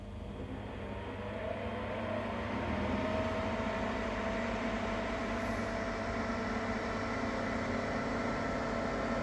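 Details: Ninja Foodi 8-in-1 running cold in this recording (owner says the unbearable noise comes after warming up): steady droning whir with constant hum and faint tonal whine; loud running noise, cause not identified.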